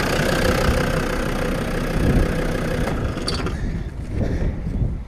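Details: Land Rover Defender 90 Td5 after replacing the power steering pump, auxiliary belt and tensioner: steady diesel idle with an even low rumble, no belt squeal or chirp from the front; healthy.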